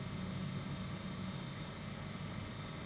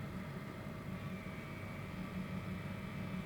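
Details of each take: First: Generic cheap cordless electric pen sander/mini drill, compared against a Dspiae hobby sander: small motor buzzes with a coarse, uneven hum and faint rattle rather than a clean whir; sounds crude, cause unclear. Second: Dspiae hobby pen sander running, compared with a cruder generic cordless pen sander: faint, steady high hum staying even with no rattle or grinding; much quieter and smoother motor.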